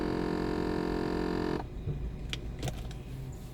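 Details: VW Passat with large EVAP leak and faulty parking brake warning light: steady electric whir from the right side for about 1.5 seconds, ending with sharp clicks; source unknown.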